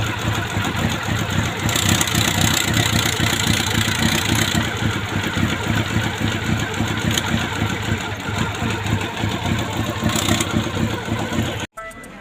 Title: CB400 PB1 ENGINE RATTLING NOISE